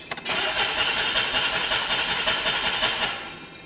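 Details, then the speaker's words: DeLorean on a cold start, shortly after a big backfire: about three seconds of steady, even cranking that never catches. Owner says it's not losing prime that quickly; no start. "just does not seem like it wants to work on a cold start it's not losing prime that quick"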